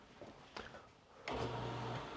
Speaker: All right, I'm going to pull the plug and we'll make sure there's no leaks. No leaks. And let me run it a second.